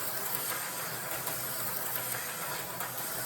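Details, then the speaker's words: Rebuilt slot car chassis with new aftermarket BSRT AFX Magna Traction pickup springs and Tyco center pin, running on the inside lane: even high-pitched whir with no stutter, fast and smooth, running normally. "Well, running on the inside lane, but yeah, that one is fast and smooth."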